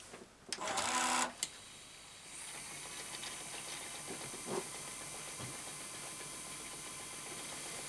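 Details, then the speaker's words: Toshiba V-77B VHS video recorder, first test after replacing the old sticky drive belts, run with the top cover off. A few mechanical clicks, then a faint, steady high whir as the tape winds evenly. Normal fast forward. "looks absolutely fine let's try rewind yeah rewind looks absolutely fine"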